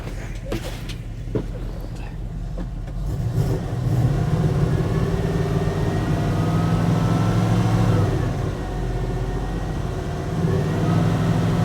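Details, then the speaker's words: 1980 Dodge W200 with swapped Magnum 5.9 V8, cold start driveway run: uneven stumbling idle, rich, with hardly any exhaust pressure from the passenger side; dead cylinder misfire on the passenger bank, compression blowing out, owner suspects worn heads. "That's missing on that side. Watch over here. Hardly any pressure there. Got a dead hole on the passenger side."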